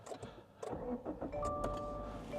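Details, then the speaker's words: 10-year-old Subaru Outback with a boxer engine, well cared for: short crank, then the engine catches promptly and settles into an even idle with a chime in the background; a healthy start. "There's something very Subaru about the way that engine starts. Yeah, for sure. If you know, you know, but like if you don't know, you don't know. But like that boxer engine, there's just something about that sound."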